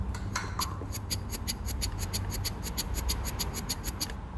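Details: Mercruiser 470 3.7L marine engine fuel pump, salvaged after being submerged, fitted with a new paper fuel filter and the bowl refitted, bench-tested: crisp, evenly spaced clicks about five a second with no hesitation or rattle; pump working properly.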